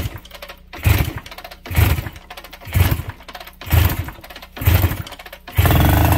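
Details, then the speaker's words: 1969 Yamaha DS6 two-stroke, first start after carb work, kick-started with choke: slow, lazy idle with loose pop-pop surge about once a second; idle too low, idle screws to be turned in. "that sounds pretty good idling a little low we might want to bring that up yeah we're going to want to bump that idle up a little bit but it's alive anyway"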